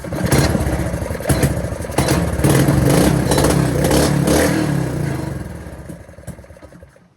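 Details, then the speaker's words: Go-kart small single-cylinder engine, clutch found bad: pops evenly about three beats a second, blips up and winds down smoothly, showing the engine itself is not destroyed. "Proof that the engine's not destroyed."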